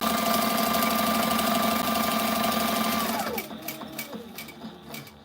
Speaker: Right now, this is about as fast as this machine will sew. So, That's full speed right there.